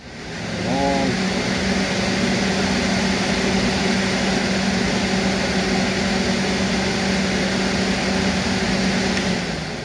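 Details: 1990-95 Ford Taurus 3.8 two-speed radiator fan on bench, low-speed wire, full battery, airflow restricted to simulate extreme load: spins up quickly to steady constant-pitch hum, no rubbing or rattle; current rose about two amps from 11 A free-air; healthy motor.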